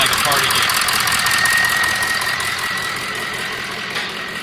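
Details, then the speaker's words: 2003 Ford F350 6.0 diesel after replacing the number one injector (combustion gases had been entering the fuel, causing rough running and stalling): steady, even idle with faint high squeal, no misfire or stumble; normal idle, road test still pending. "[Applause] so anyhow this one seemed to be solved with just doing the number one injector hopefully that helps you out how to diagnose some of these Problem Child ones"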